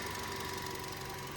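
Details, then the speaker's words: Bonnet open with a dusty engine bay and no oil leaks; soft, even idle with no knocks, rattles or misfires. Ticking over nicely. "It's ticking over lovely. Look at this. Listen to it. Really nice. Really ticking over nice."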